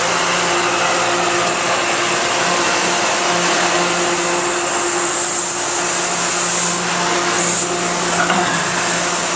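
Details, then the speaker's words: 2011 Thermal Care NQA15 AccuChiller, 15-ton air-cooled, with R410A, scroll compressor, low-noise fan and 460 V 3-phase supply, starting up after a short delay. Steady fan rush, strong enough to suck the door shut, plus constant compressor hum. It is running normally, chilling toward a 45°F set point. "that's the fan and the compressor kicking in that noise you heard was simply the uh the fan sucking in our door here"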